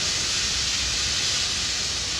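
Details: Dam outlet pipe filling with water under about 190 m reservoir head: steady loud high-pitched hiss, no rumble, as last trapped air escapes through escape valve at top of pipe.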